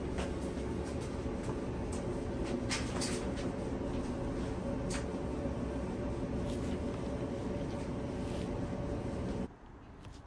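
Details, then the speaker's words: Kenmore Elite dryer, model 79691073310, after repair of rough running noises: steady, even low rumble with no knocking, squeal or scraping before the motor stops; running smoothly and quietly. "Okay, yeah, nice and quiet. Nice and quiet. That's the way we like the machine to be. Nice and quiet. Running smooth."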